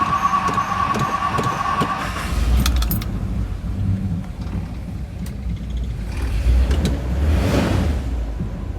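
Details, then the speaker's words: 1964 Ford Country Squire after starter replacement: key click, then a strong, even crank that catches into a steady rumble; starts beautifully with no odd noises. "She cranked up beautifully. I get fuel up to her. So much nicer."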